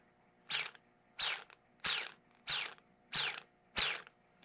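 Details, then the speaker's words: Brushless quad motor spun by hand, six times: each spin is a falling high-pitched whine from the magnets passing the stator, which is normal, over a dry, low, gritty grinding from bad bearings. "this motor and actually all these motors have bad bearings so you'll hear two distinct noises one is a high-pitched whining noise which is just the magnets passing by the stator which will happen on all motors and then the second noise is a low pitch like grinding noise and that is the sound of bad bearings"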